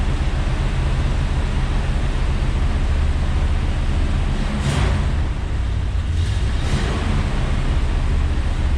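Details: 1967 AMC Rambler Rebel SST, 290 cu in V8 with two-barrel carburetor and automatic, revived after 40 years parked: low, even rumble with a steady hiss and no knocks or rasps. Quiet, healthy idle.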